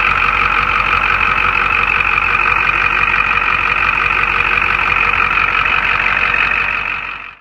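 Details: 1989 Ford F-350 7.3 IDI diesel after injector O-ring replacement for fuel leaks and no-start: steady, even diesel clatter at idle with no misses or odd knocks; engine settled and healthy.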